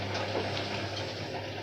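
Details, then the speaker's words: Candy washing machine on Cotton 40°C, 800 rpm plus Quick Wash, washing bedding, 38 minutes left: a steady low pump hum under rushing, gurgling water as the tub empties; normal drain. "Слышите, да? 38 минут, повторюсь, и идет слив."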